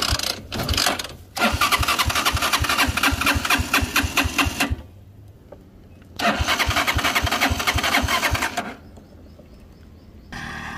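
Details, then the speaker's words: Motorcycle that bogs and stalls at 6,000–7,000 rpm, on road test before repair, tried for several minutes: two long bursts of fast steady cranking, three to four strokes a second, never catches; spark problem suspected; cranks but no start. "resulta que la moto no prende no prende no prende y no prende"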